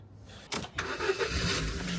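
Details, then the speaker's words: Ford Fiesta that would not start, jump-started with a TOPDON JumpSurge pack: short crank catches quickly and settles into a steady, even idle. Normal engine start. "and just like that the fiesta has started"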